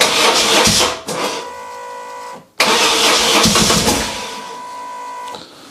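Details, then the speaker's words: BMW R 1150 GS boxer, cold start with a little choke after wiring harness cleaning and Hall-effect sensor wiring repair: two cranking bursts, then a steady, slightly high idle. It starts fine with no smoke; the accelerator cable seems stuck. "no smoke coming from in there so that was probably just some stuff burning off last night but the bike started fine"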